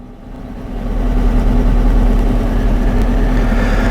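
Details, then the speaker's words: 2012 Dodge Charger V8 idling with a slightly uneven, loping beat; misfire confirmed on cylinder one, present at idle and clearing just off idle, despite replaced lifters, camshafts, rings, heads and coils over a year of repairs. "i've confirmed that cylinder one is the cylinder missing and it appears right off idle that it's not misfiring so this is an idle type misfire"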